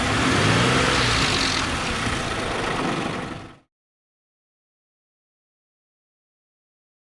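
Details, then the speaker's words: 2006 Ford Explorer, Ford 4.0L SOHC V6, warm, lightly revved: harsh, continuous metallic rattle, then cut off; the 4.0 death rattle, tensioner apparently replaced and leaking into the valley, cause unconfirmed. "So All right, so as you can hear, she's hurting. That's what Ford 4.0 Death Rattle sounds like."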